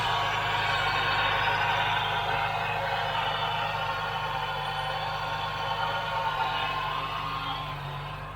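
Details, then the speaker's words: 2009 Ford Mustang, engine running: a steady high whine that holds its pitch above the engine; possibly power steering pump, though not heard in the steering, or a dry bearing in a belt-driven accessory; not confirmed. "Anyway, let's start it and I'll show you the noise. We need to fix that noise before something blows."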